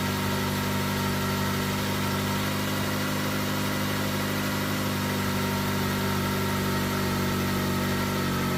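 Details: Jeep engine restarted after wiring relay repair with heat-shrinked connections; steady, even idle with a low smooth rumble, no knocks or misses; normal idle.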